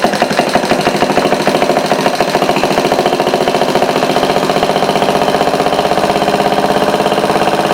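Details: Homemade overhead-valve conversion of an antique single-cylinder Briggs engine, running on a replacement carb from the shelf because the original was dirty. A quick, even beat that holds steady without missing or surging: normal running.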